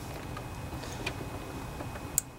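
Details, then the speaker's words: Kohler Pro Courage 26 hp twin-cylinder on a Craftsman DGS 6500 riding mower, after carburetor rebuild (was gummed up after winter storage): faint hum with sharp clicks as key turns to first position, fuel shutoff solenoid working normally. "Hear that clicking? That tells us that that fuel solenoid is working just fine."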